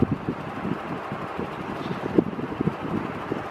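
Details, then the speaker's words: Stratofan industrial ceiling fan, Gold Line look-alike, on high drawing about 81 watts at 0.95 power factor: even, steady whoosh with soft low hum, no knocks or grinding, normal running, slightly slower than a Gold Line. "love that sound the old goldmine sound yeah yeah yeah yeah it's not quite as fast as like a gold line per se but sounds just like my seventy nine"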